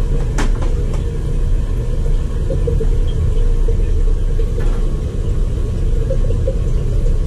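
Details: Crown hydronic boiler that had not answered the call for heat, firing after a lot of trapped air was purged: a steady, deep, even roar with no sputter or pulsing at high fire. Burner firing normally; system still needs an air scoop.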